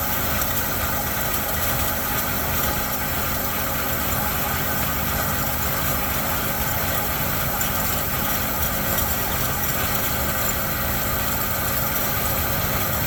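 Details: 1972 Chevy C10 pickup with a 350 V8, sat in a barn 30 years, first start on primer fuel at 29°F with no fuel in the tank: steady, even deep idle with no misses or knocks; sounds really good.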